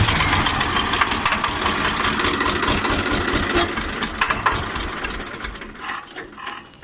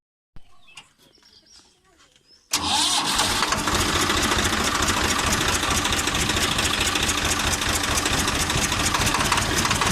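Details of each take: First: 855 FE diesel engine with black smoke and increased noise; sharp uneven clatter about twice a second over idle, dying as it shuts off; owner suspected loose tappet or broken bolt, found broken rocker arm bolt; valve train noise. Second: 855 FE diesel that had engine noise and black smoke from a broken rocker bolt, after genuine bolt fitted; quick crank, catches and settles to a steady, even clatter with no stray knock; running normally.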